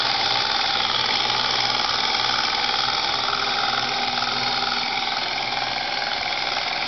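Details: Lexus IS300 engine bay at idle: steady hissing, buzzing sound with a faint pulse about 2.5 times a second; abnormal engine noise, source unclear.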